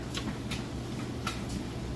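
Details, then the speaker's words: Whirlpool electric dryer, bearings and wheels cleaned, on time dry with a full large load: soft even drum rumble with light ticks from the load turning, not shaky, no grinding or squeal from bearings; normal tumbling. "There's absolutely no sounds at all coming from the bearings."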